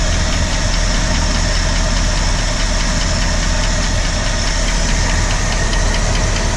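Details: 1965 Ford Galaxie with 352 FE V8, second session after first start: quick, even light ticking over a loud steady idle, keeping pace with engine speed; source of the engine ticking at idle not yet located.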